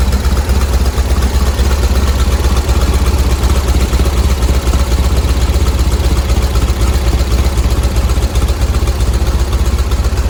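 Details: 1970 VW bus flat-four with dual 34 carbs, warming up during carb sync after the idle screws were backed off from too high an idle: even, steady low chug with no misses. Idle holds well enough; mixture screws still to be tuned.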